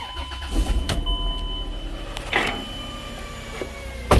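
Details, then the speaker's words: 2004 Chrysler Pacifica, about 150k miles, cold start; steady humming, whirring high tone that goes away as it warms up, unchanged with revs, charging still fine; likely a bad alternator bearing, so alternator is replaced. "Nothing dramatic, but you could definitely hear it, and the customer's concerned about it, which I would be too. Probably got something bearing going bad or whatever."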